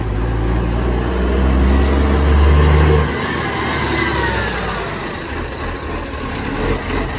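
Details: Moreland garbage truck #FN11487, a spare 22m flat-faced Acco-cab diesel with a massive exhaust leak, recorded from the exhaust side: heavy roar, unusually loud and raspy under load, then easing off.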